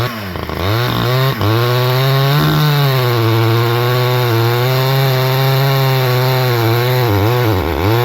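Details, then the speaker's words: Repaired Stihl 011AV chainsaw after carb high-side adjustment, cutting red oak through knots: high steady note dips slightly as chain bites and recovers; not powerful but cuts through without problem. "Well, it's not a powerhouse by any means. So there you go. Sellick made it through this red oak, no problem at all."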